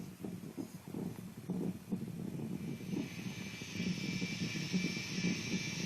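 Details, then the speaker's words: Peavey 6505+ guitar amp head, fully retubed, into its cabinet: low, uneven whooping rumble over high-gain hiss, unaffected by volume or channel; owner suspects the preamp, possibly a filter cap, not confirmed; whooping rumble noise. "it's a weird rumbling type sound now I'll show you the volume does not control any of it"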